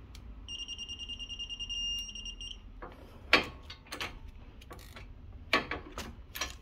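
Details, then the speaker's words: Torque wrench set to 200 Nm tightening front brake caliper carrier bolts on a 2016 VW Sharan 7N2 during disc and pad change: clear high steady beep about two seconds, then clicks, signalling set torque reached. "Donc dès qu'on entend le bip, on continue, c'est que on est arrivé au couple de serrage."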